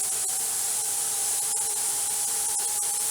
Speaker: way too hard I need to turn my heat down a little bit